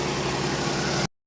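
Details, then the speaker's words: Vehicle with electro-hydraulic power steering idling after a power steering line replacement, before topping up and bleeding: steady, even idle with smooth hum, no whine, groan or knock from the pump; sounds quiet and healthy. "Well, so far no weird sounds. Actually sounds nice and quiet."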